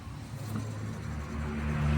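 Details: 2018 Versa: a low rumbling growl builds as the lifted wheel is spun by hand, louder than the other wheel's light pad-on-disc sound; a worn wheel bearing, felt as humming and howling while driving.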